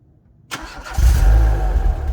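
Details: Renault Clio RSi after replacing a loud, ill-fitting boomy aftermarket exhaust with original Renault centre section and rear box: short crank, then a deep, smooth, even idle with no boom, healthy exhaust note.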